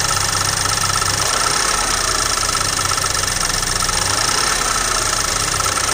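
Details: BMW N20 four-cylinder idling with an even, quick ticking knock over a rough hum; engine knock, cause not identified.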